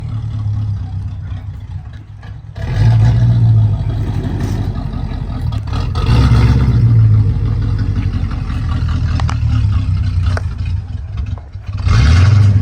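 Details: Chevrolet Corvette with rough idle returning when shifted into drive or reverse: low idle that surges and sags unevenly with a loose, uneven chuff of about four beats a second, rough idle under load in gear.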